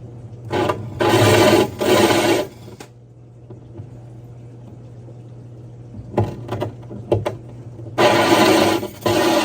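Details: Diamond hole saw drilling aquarium glass (60 breeder tank) with water: the drill whirs in short bursts as the drill power is varied and the saw is lifted and reapplied rather than forced, a controlled cut.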